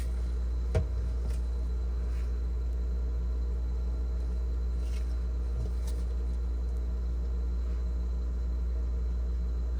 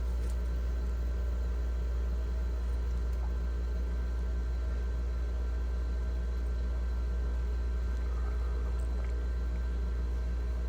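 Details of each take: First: GE French door refrigerator fresh food evaporator fan, stiff from clogged drain, slowly trying to turn; low steady electrical hum with no blade whoosh; seized evaporator fan motor. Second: GE French door refrigerator fresh food evaporator fan after freeing seizure caused by clogged drain; steady low hum, even tone, no scraping or ticking; fan spinning freely, normal running.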